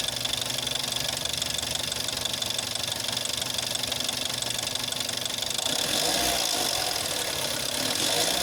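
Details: Jetta 6 1.4 TSI CAXA, 125,000 km, cold: fast, even ticking about four a second over idle, rising with revs, worst after 3+ days parked, gone when warm; first noticed at 60,000 km, timing chain not stretched at 100,000 km, cause unknown.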